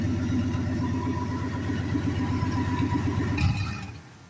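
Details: Turbocharged small-block Chevy 350 V8 in a Chevy Silverado pickup, daily driven two years, turbo blanket fitted: deep, steady even rumble tapering off near the end; healthy normal running.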